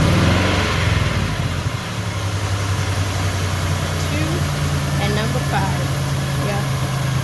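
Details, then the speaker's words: 2002 Chevy Impala 3.4 V6 with code P0300: a low, uneven, loping idle from misfires on cylinders two and five, confirmed as a bad ignition coil. "so check it out we got a misfire on number two and number five so we are 100 positive now we got a bad coil now"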